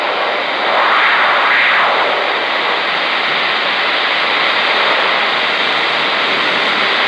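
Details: 10-meter rig on a 15th-floor balcony facing the ocean, Garden City Beach, South Carolina, often after a frequency change. Steady rushing hiss that swells slowly, with surf in the background. Owner suspects a rotating radar-like source; unconfirmed.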